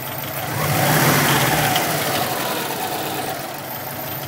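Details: 2002 Subaru WRX, 176k miles, with replacement EJ20 engine (about 70k miles), untuned, aftermarket intake, exhaust and BOV: revs and settles with rough, rattly knock; owner suspects turbo or spun crank bearing.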